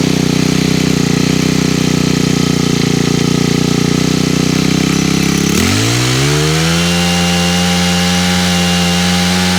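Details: Honda HHH25 small petrol engine after a carburettor replacement, with the main jet opened for more fuel: it buzzes steadily at high revs, then drops quickly and settles into idle before idle adjustment.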